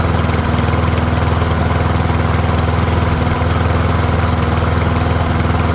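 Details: Troy-Bilt rear-wheel-drive mower with Briggs & Stratton engine, after ultrasonic carb cleaning, warmed up about five minutes, no smoke now, fuel running low: steady, even single-cylinder putter at constant speed, no surging or sputter; pretty quiet, running properly.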